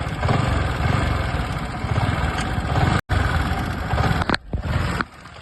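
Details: R15 V3 motorcycle engine: a harsh, irritating mechanical clatter over the running engine. Possible causes named are the timing chain, one-way clutch or rocker set.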